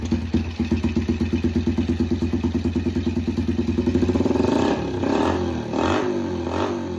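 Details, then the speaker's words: Yamaha TTR 90 after top-end rebuild, petcock turned back on (it was off, so it would not rev), air screw half a turn out; even, steady beat, picks up cleanly on throttle; smooth running. "Much better. Much much better."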